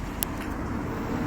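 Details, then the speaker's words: 2012 Fiat 500 Lounge bought from BCA Enfield with a misfire and worn gearbox/clutch, at idle after fitting new spark plugs and clearing codes: steady, even rumble with no skips; misfire and slight hunting gone, normal idle. "That misfire, it's definitely not there. I think it's all been cleared up with a fresh set of spark plugs."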